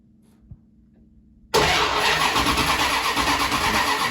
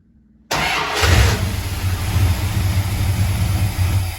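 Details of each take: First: 1974 Jensen Interceptor no-start, timing light on plug lead one, no spark to plugs; fault later traced to the ignition coil: starter spins engine with steady churning about three seconds, never catches; crank no start. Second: 1974 Jensen Interceptor after faulty ignition coil swapped for an old plain 12-volt coil without ballast resistor: cranks briefly, catches cleanly, settles to steady low rumble before switching off; engine starts and runs.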